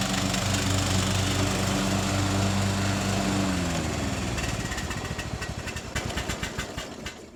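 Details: Troy Bilt mower, revived after about five years parked and carburetor cleaning, fresh oil and filter, mowing: steady single-cylinder drone, then note drops and chops working through grass; normal running under load.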